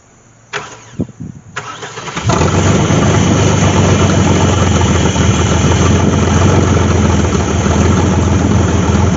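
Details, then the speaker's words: 1998 GMC Sonoma 4.3-litre V6, sat for years in swamp grass, started with the transmission in gear: short cranking bursts, then it catches into a steady, even note with no knocks; the transmission engaged and tried to go forward. "this is why I stood to the side but I felt the transmission engage we have engine we have transmission"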